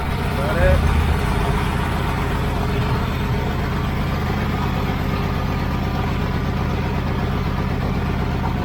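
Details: 1980 Z28 V8 just started on a new knock-off Holley 4-barrel carburetor, no brakes, carb not leaking: fast, even idle with a steady low drone that doesn't settle down. The idle speed is set too high.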